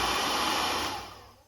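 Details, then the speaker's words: Tani Pro 3000 hair dryer, 220 V 1200–1400 W: roars with rough clattering edge then winds down; loud noise likely from a drop, loose motor letting the fan blade hit the housing. "Esse barulho aí provavelmente isso foi uma queda, né?"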